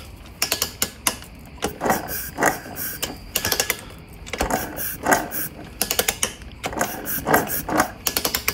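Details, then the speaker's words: 1982 Suzuki RM125 two-stroke in restoration, engine turned over: rhythmic bursts of harsh rattling, ratcheting grind; owner suspects the stator, source unconfirmed. Honing-like scuff marks noticed beforehand; no spark found. "pretty horrible sound sounds like it could be coming from the stator"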